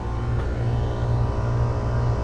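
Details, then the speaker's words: McQuay water-source heat pump on R-22, switched to cooling after a new contactor and a cleaned strainer; the compressor previously wasn't running and head exceeded 300 psi. A steady, even low hum with no knocks or chatter: normal running at 58/189 psi. "let's go ahead and put the thermostat on cooling we're in the summer time right now everything's running"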